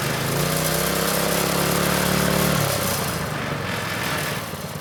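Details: Manco Streaker vintage mini bike with Predator 212 (6.5 hp), drive disconnected, idle raised: steady buzzing drone settling to lower even idle; normal running.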